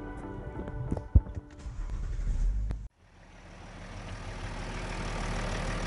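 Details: BMW E70 X5 40d diesel, previously a non-starter with a dead battery, on the second attempt after a starter motor repair: a short crank, then it catches and builds to a steady, low, even idle. It starts cleanly.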